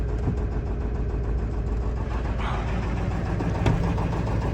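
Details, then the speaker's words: Cheap auction 7.3 Powerstroke diesel truck said to burn lots of oil, started without a glow plug light, not even smoky: a steady diesel clatter at idle with an even beat and no misfire or heavy knock. Normal idle. "wow it's not even smokey"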